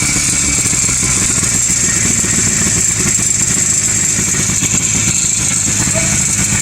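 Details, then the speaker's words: 1957–58 Berkeley SE328 with an Excelsior two-stroke engine, just serviced after sitting unused for years, on its first start: a busy, buzzing, lawnmower-like idle that holds even; it runs acceptably but still needs a tune-up. "sounds good yeah man it i mean it sounds like a lawnmower but you're a weedy man it sounds good for what it is"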